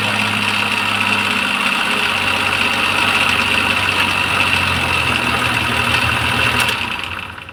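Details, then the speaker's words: Maruti Suzuki Omni MPFI that stopped while driving with a small clattering sound and wouldn't start; after correcting timing belt timing, it catches and settles into a smooth, even idle with no misses or knocks. Slight sluggish cranking from flat battery, dead alternator. "ചെയ്തു ഇപ്പൊ correct ആയിട്ട് തന്നെ വണ്ടി start ആവുന്നുണ്ട് അപ്പൊ timing correct ആയതുകൊണ്ടാണ് അങ്ങനെ എടുക്കുന്നത്"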